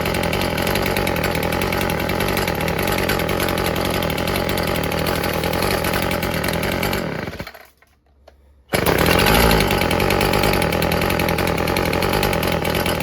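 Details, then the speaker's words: Old Stihl FS36 two-stroke string trimmer after its fouled plug was torched clean: slightly uneven, burbling idle that nearly dies, then picks back up. Owner suspects a rich low-speed mixture, before the low-speed screw is adjusted. "It's almost like it might be running a little rich. So, let's try adjusting it."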